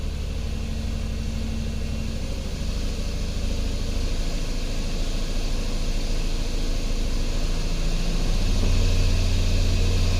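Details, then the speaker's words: 2010 Chrysler Sebring convertible 2.7L after repairs and a relearn: steady low idle with an even beat and no misses or knocks, feels way better than the earlier rough running. "[Music] huh feels way better that might have been our whole issue"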